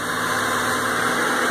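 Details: 1998 Honda Civic EX, high mileage, after cylinder head diagnosis and engine service: even, steady idle hum with no knocks, ticks or misses; engine running smoothly and healthy.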